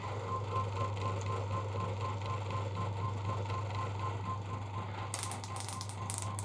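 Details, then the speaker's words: Classic car points distributor on a test bench, spark gap widened until it can barely jump: steady rapid ticking of sparks about four per second over a low hum with occasional skipped snaps; misfires at maximum gap of about 12.8 mm. "okay it's not able to jump it there oh just about jump it there it's got a few misfires though"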